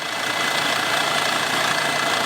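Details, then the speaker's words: Former news van, a Sprinter diesel, idling: a light, quick ticking over a hissy, tinny engine note that just started; a manifold gasket is considered, and the suspicion is an injector seal leak ("black death") on number 2. "You can just hear that ticking. Maybe a manifold gasket. It just started doing it. Are you familiar with Black Death? I am. AKA injector seal leak. I'm going to say your number 2 is leaking."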